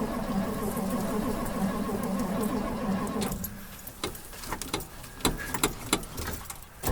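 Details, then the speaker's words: 1958 Edsel Ranger with factory AC, start attempt after a few pedal pumps: steady starter cranking for about three seconds with an uneven beat, then it drops off without catching; cranks but won't start. "let's see what happens kind of oh the dome light actually works so there's a good uh okay give it a few pumps turns over"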